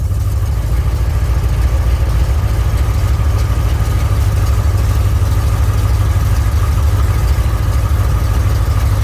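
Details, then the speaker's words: 1967 Mercury Cougar at idle after repair of the power steering hydraulic ram assist, wheel being turned: smooth, even idle with a steady low hum, no whine, groan or squeal; pump sounds healthy, though a hose touches a bracket. "Okay, go to the right. That sounds good right there, see?"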